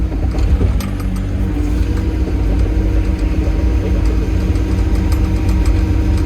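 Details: Farmer's diesel digger after service and repair with added washers: steady low diesel rumble at idle, even and unchanging with no knocks or misses; normal idle.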